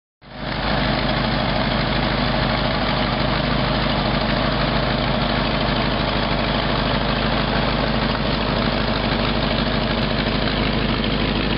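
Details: 1952 Packard at idle: steady engine note with a sharp puffing tick about three beats a second; owner tracking down exhaust leaks.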